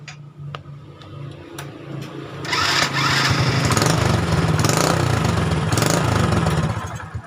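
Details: Honda Supra Fit single-cylinder just fitted with a Suzuki Shogun CDI, stock pickup, 12V taken from the flasher wire: catches after a few clicks and settles into a steady, even putter with some exhaust roar; starts and runs normally.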